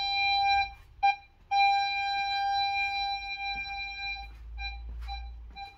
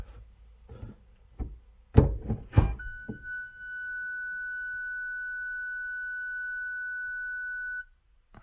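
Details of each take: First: 2008 VW Polo 9N3 1.4 FSI (BUD), after replacing the faulty rear-left-middle parking sensor 7H0919275C: clean, steady mid-pitch beeps at a regular rate with quiet gaps; parking sensors now work normally. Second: 2008 VW Polo 9N3 1.4 FSI (BUD), ignition on and reverse engaged: one long continuous beep of about five seconds then silence, no proximity beeps; fault warning from a failed rear parking sensor 7H0919275C, later replaced.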